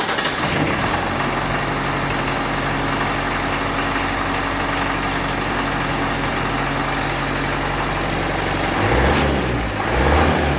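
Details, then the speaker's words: Land Rover Series 3 diesel, first start after starter solenoid fix and new glow plugs: steady, even clatter at idle, constant low drone, no misses or knocks, minimal smoke; running fine, still needs slight adjustment. "minimal smoke still wants a little bit of adjustment on it but yeah what a nightmare that was"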